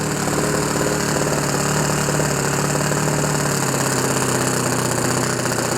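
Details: OS FS 91 Surpass 15 cc methanol four-stroke on what is probably a Graupner 14x7 prop, breaking in a new ring after a rebuild, at good temperature near the end of the first tank; steady, slightly burbly run with uneven rich firing and no knocks or rattles.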